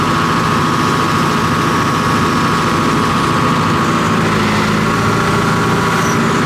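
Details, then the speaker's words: John Deere 245G excavator diesel, cold, after repairing over-fuelling number 3 injector: steady even idle, smooth constant drone, no knock or miss; black smoke cleared, normal idle. "And then also, obviously, the sound's much better. It doesn't have that fuel knock."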